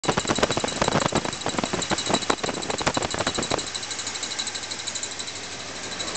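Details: Small-block Chevy idling: sharp regular ticks, believed to come from the timing chain cover; the cause is not confirmed.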